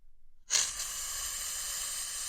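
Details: Dirt bike carburettor fuel passage, warmed gently and blown through: even, unbroken hiss of air for about two seconds with no sputter or choking; passage is blown clear.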